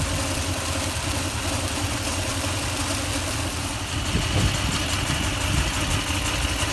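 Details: 2004 Toyota Tundra idling after fan bearing replacement and timing belt change: steady, fairly even idle with a mild rise in revs toward the end, no knocking or screech; sounds better than before, when it was louder.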